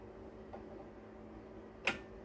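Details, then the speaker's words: 10 kV voltage stabilizer under repair, with output raised past the roughly 250 V limit and the cut-off preset adjusted: a faint steady hum, then a crisp relay click as it trips out, and it switches back on when voltage is lowered. Relay cut-off at overvoltage. "देखिए cut गया। अब इसको हम फिर पीछे करेंगे, on हो गया।"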